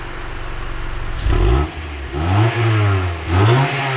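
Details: 1999 Honda Prelude after the factory catalytic converter was swapped for a Megan Racing test pipe, sealant cured, in rain: three quick throttle blips rise and fall cleanly over rain hiss, with a deep, even exhaust note and no rattles or leaks; sounds healthy.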